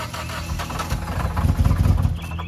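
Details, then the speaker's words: Salvage repossessed Mitsubishi Evolution X with major engine failure: rough uneven running with heavy irregular deep knocking; suspected rod knock or blown engine, unconfirmed. "わかりませんが、それはスーパーロッドノックのような音が好きではありませんああ、これらはスバルではなく、三菱なので、必ずしもロッドノックになるとは限りません。"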